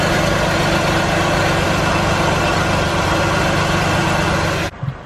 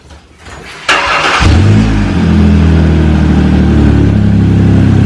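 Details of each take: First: Car idling after an exhaust leak was repaired with wrapped exhaust repair tape: steady, even low rumble with no puffing or ticking. The exhaust is sealed and now quiet. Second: Car engine cranks, catches and idles with a loud, raspy, deep putter from an exhaust leak, a big hole in the flex pipe of a dual exhaust, before wrapping repair.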